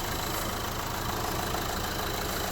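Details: 2011 Renault Clio 1.5 dCi diesel with 226,432 km, brought in for a strange engine noise mostly when cold; after servicing, antifreeze and battery replacement: smooth, even idle with a steady low rumble, no ticking or hiss. Sounds healthy.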